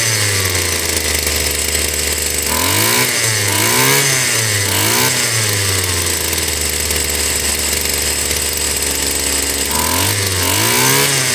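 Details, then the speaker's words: Stihl FS 76 brush cutter over 20 years old, came in not starting, muffler removed, compression good: two-stroke picks up cleanly from idle into sharp revs and settles evenly; carburetor sounds decent, normal running. "ok ese carburador se oye decentemente"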